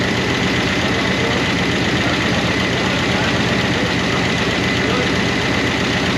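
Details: 1988 Monte Carlo SS V8 run after sitting over 20 years, idling on a temporary fuel tank: a light, fast ticking that keeps pace with the engine from noisy lifters/rocker arms. The owner hopes it will quiet down.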